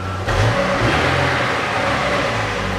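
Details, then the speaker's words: 2007 Chevrolet Lanos after replacing rear muffler (BOSAL 278875, GM gasket, new AMD hangers): engine blips and settles with smooth, muted, pleasant, not noisy exhaust tone, no rasp, drone or rattle. "звук приятных дабы губу нету и звук приятный в выпад другой он он не шумный"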